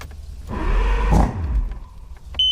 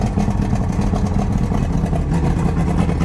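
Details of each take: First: 1999 Johnson 200 hp carbureted outboard, cold start after choke-solenoid priming: fires about a second with a rough burst, then dies, short beep; primer bulb found not firm and needs repriming. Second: 1999 Johnson 200 hp carbureted outboard, cold start at about 70°F after choke priming, firm bulb and quarter throttle, not run in a while: steady low rumble settling into an even fast idle with no misses.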